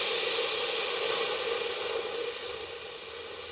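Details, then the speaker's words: Ronseal Precision Finish Fence Sprayer being depressurised before the pump handle is removed to top up paint: a steady, bright hiss of air venting that slowly eases off. Normal pressure release. "Now, before taking the pump handle off, it's really important to release the pressure. I cannot emphasize that enough."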